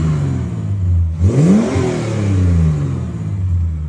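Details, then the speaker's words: 1969 Holden HT Premier under full restoration, started in neutral after sitting: steady rumble at idle, then a clean blip that rises and falls back smoothly; engine revs freely and returns to a settled idle, running again. "Sounds like a car now. Sounds like a car. See if it revs."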